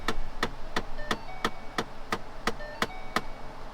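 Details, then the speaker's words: 2011 Ford Mustang Shelby GT500, AC turned on: sharp even clicks about three per second from behind the dash over low blower hum, faulty blend door actuator. "when you turn on the air conditioner you get this wonderful click click click click sound and I'll show you that in a minute it's really obnoxious"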